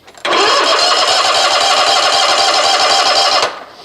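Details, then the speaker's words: Toro TimeCutter SS 4225 mower with Toro V-twin commercial 222 engine, choke set, about 40°F: starter spins the engine steadily for about three seconds with even compression pulses but it never fires; cranks, no start, cause not yet found. "all right so it's obviously not starting so the first thing we're going to do number one as I told you before all engines need air so we'll check the air filter and show you what that looks like"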